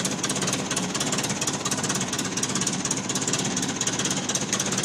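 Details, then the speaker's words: 1950 Ferguson TO-20 tractor after carburetor rebuild (Marvel Schebler TSX-458), main jet adjusted, new plugs and settling bowl, rebuilt generator: steady, even idle knock about two beats per second with clattery top end, no misses; normal idle. "A little more throttle, maybe. It's running pretty good. Old and dirty."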